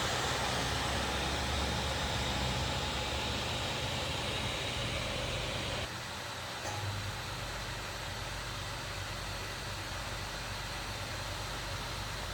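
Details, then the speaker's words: MSI GE76 Raider 11UH gaming laptop (i9-11980HK, RTX 3080) untouched for half an hour, doing nothing: constant airy fan rush with a low drone that eases slightly; fans kick off loud at idle for no reason. "it's just booting off this kick you're not gonna hear the fans what is it doing like why is it kicking off i haven't touched it in like half an hour"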